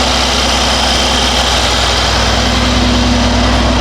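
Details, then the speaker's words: 2019 Mercedes-AMG GLC63 S Edition 1, M177 4.0L V8, 59,000 miles, after spark plug and injector replacement for misfires (code P008792 fuel pressure): took a couple seconds to start, now an even, steady idle without the earlier shaking; smooth idle. "Okay, it took a couple seconds to start. Definitely runs smoother. Before it was pretty much at this point already will start shaking."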